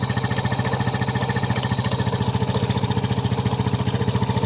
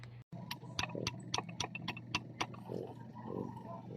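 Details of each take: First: Kymco Visar 110 scooter after replacing the connecting rod with a new crankshaft assembly for an internal knocking noise: fast, even single-cylinder putter, about 3.5 beats per second, no deep knock; normal running, bottom end now healthy. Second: Kymco Visar 110 scooter, over 5 years old, with a knocking noise inside the engine; the removed crankshaft is turned by hand: sharp uneven metallic clacks from excessive big-end play; worn connecting rod big-end, side bearings still good.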